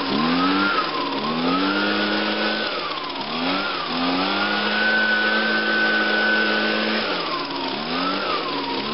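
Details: 2009 Echo PB 251 two-stroke blower on a cold start, with choke on and five primes; it usually starts in two or three pulls. A crisp buzz rises and falls smoothly with each throttle blip, with clean pickup and no misses, which means normal running.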